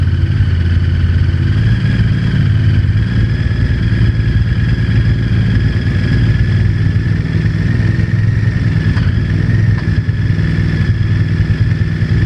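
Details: Honda VTR1000 V-twin with a loud lumpy idle and a rough clattering knock through the idle and small revs; source of the knock unknown.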